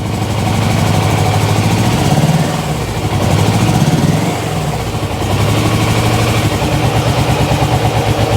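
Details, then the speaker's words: GS motorcycle warming up after first start: even, steady idle thump with no ticking, knocking or rattle; the motor is mechanically quiet, but it still won't take revs or run well on choke. "That's all right. Motor's lovely and quiet."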